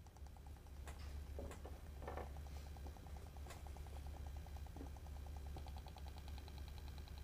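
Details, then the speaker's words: Solenoid on the bench driven by a scan-tool sensor/actuator simulator: quiet, rapid, even clicking over a low hum, with the rate adjustable and shown slowed. It cycles normally as commanded. "could hear it clicking more. Now, by the way, just because this thing clicks, now you hear how slow it is?"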